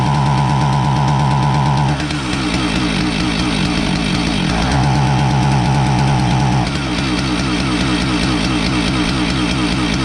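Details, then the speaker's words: Husqvarna 450 chainsaw that starts fine but won't rev up: a rough, uneven two-stroke note that surges, then drops away, missing and bogging, even when choked richer. Ignition module failure, not carburetor or fuel starvation; suspected module timing circuit. "so if you thought that this was a carburetor problem you wrong this is an ignition problem it's not an uncommon one"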